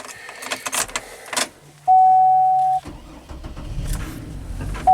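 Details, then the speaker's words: Frosty cold start of a 2005 GMC Envoy, 131,000 miles, with radio clock resetting and stalling complaints, no check engine light: after chime and door noises a short crank catches cleanly into a quiet, even idle: normal start and idle. "Seems to fire up all right."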